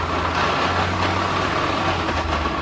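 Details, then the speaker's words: 2015 Chevrolet Onix (Prisma line) manual gearbox grinding: rough gritty drone with low hum in third gear, present in second through fifth but silent in first and at idle; damaged, oil-starved gearbox. "Ele reclama aqui na primeira e não faz barulho é mas a segunda terceira e quarta quinta marcha diante é um barulho isso é isso fornecedor na lenta não tem nenhum barulho"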